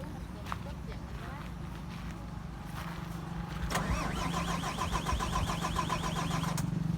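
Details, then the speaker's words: Bus chassis diesel that suddenly stalled on the road: steady starter drone, cranks repeatedly but won't start; owner suspects air in fuel system and fuel filter, needing bleeding. "มาจอดสตาร์ทไม่ติดนะฮะ"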